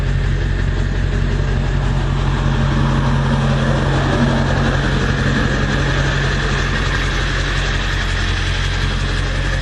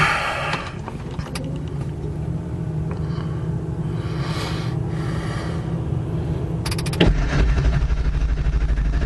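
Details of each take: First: 1999 Ford F-350 Powerstroke diesel after engine swap, about 14,000 miles on replacement engine, 4-inch exhaust, heard outside: steady even diesel clatter at idle under deep exhaust rumble, no misses or knocks; running healthy, some oil leaks being chased. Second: 1999 Ford F-350 Powerstroke diesel V8 right after an engine swap, with air in the high-pressure oil system feeding the injectors; it cranks slowly for about seven seconds before firing into a rumbling idle.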